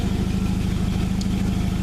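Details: 1995 Jeep Wrangler YJ after no-start repair with new ignition coil installed: steady, even idle with regular low exhaust pulses and no misses or knocks; runs normally, muffler damaged possibly by backfire.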